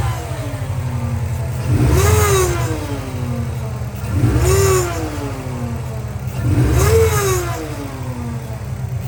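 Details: 2003 Subaru Impreza WRX (GDA), EJ205, 5-speed manual, 148,345 km; throttle blips bring loud rising-falling siren-like howl from the turbocharger, noise present even at engine shutdown; compressor blades shredded, shaft play, coolant and oil on exhaust side.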